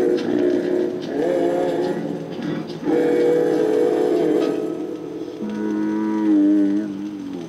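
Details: Vintage Audiotronics 300-E classroom record player playing an Estonian 78 rpm record with the switch set to 78; music and voice come out low, slow and moaning: it is not playing at 78 speed, the wrong playback speed.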